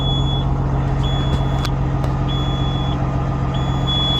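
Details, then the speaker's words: A Peterbilt 379 with an air leak, idling on a cold day (about 38°F). A steady beep near 3 kHz repeats about once a second over the diesel rumble: the low air alarm, which should stop once pressure is over 60. "It's our low air alarm going off right now. Once it gets over 60, it should kick back off."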